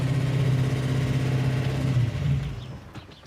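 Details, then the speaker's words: V8 idling fast at 2,000 rpm with no throttle return spring and a massive vacuum leak; it never settles down. A noisy lifter also appeared once the engine got hot. "Okay, well, we've already got a bummer. It's idling at 2,000 RPM. It's got no throttle return spring, massive vacuum leak,"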